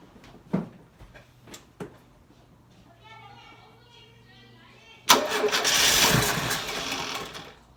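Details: Carburetted engine first start after sitting 6 months, carburetor burst used: a few weak scattered turnover attempts, then it suddenly catches and roars to a high idle; hard start.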